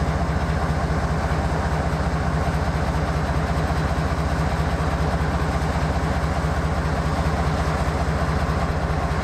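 Deep, heavy diesel idle with an uneven pulsing beat around two per second, the loping rhythm of a locomotive running rough.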